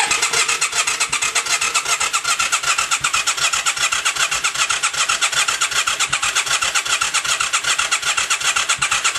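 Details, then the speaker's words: 1996 Yamaha XV535 after starter clutch replacement, battery charged, in neutral: fuel pump clicks at key-on, starter cranks with a quick, even chug but engine never fires, only occasional exhaust puffs; crank no start. "So I heard the first time turn on the key, the fuel pump clicked to start. The clicking, click, click, click, click, click, click, like it was getting ready to"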